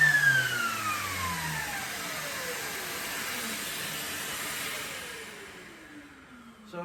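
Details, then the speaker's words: Loud steady whistle over the shop vac roar, tones sliding down as it winds off, during sanding; air leaking through a poorly fitting dust extraction hose adapter on the sander. "I want an attachment that I can hook this up to the to the shop vac so it doesn't make this loud whistling noise."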